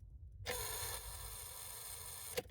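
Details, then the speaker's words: 2005 Honda CR-V key turned to start, phone near the dash panel: harsh steady electrical buzz about two seconds with no cranking, a relay behind the panel chattering from a failing ignition switch, to be replaced. "and that's what's causing the actual buzzing and uh sometimes this works so if I pull the key out it worked that time other times I have to uh flip the key over and it works but we're going to replace the actual ignition switch underneath here because that's what's causing that relay to buzz and not actually action"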